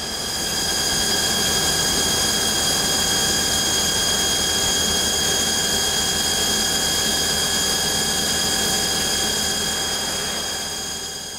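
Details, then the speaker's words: Haas anti-vibration damped boring bar at 10x diameter overhang, 1,000 SFM finishing, coolant off: steady even cutting hiss and spindle whine, no chatter or vibration, unlike the standard bar at 6x diameter. "No chatter, no vibration. This sounds great. The difference in vibrational response is evident."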